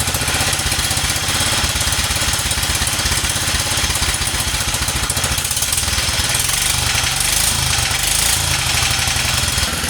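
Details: 1947 Whizzer Model H single cylinder running after revival, choke off and warmed up: quick, even firing pulses with a steady beat, no knocks or misses; idles poorly until warm.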